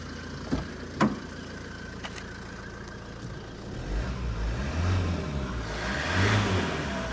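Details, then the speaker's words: 2008 (58 reg) Ford Focus Estate diesel, about 150k miles, parked over a year with a dead battery, jump-started: fired straight up, clattering at steady idle then picking up cleanly with rising revs and no knocks; runs healthy. "And as you can hear, it fired straight up."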